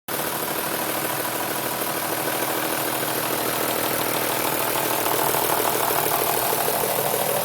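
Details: BMW M3 3.2L at idle: steady idle with a quick, fairly even ticking rattle about three per second; owner suspects a VANOS problem, cause unclear.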